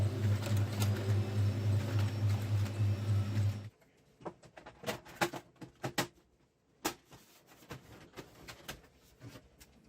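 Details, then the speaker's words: HP LaserJet M426 (M402/M426/M428 series) after reassembly with a new fuser drive gear set, previously loud, rattling and crackling: even mechanical hum with a steady low pulse, no grinding or crackle; gearbox now running normally. "что ж проверим и послушаем замечательно гул шум ушел нормально адекватная работа редуктора"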